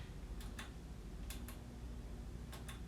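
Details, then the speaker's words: Mixer feeding speakers: sharp double clicks about once a second over a low steady hum, stronger on USB, with effects not coming on; started suddenly after working fine. "it was making this weird clicking sound and so the process of elimination I unplugged everything"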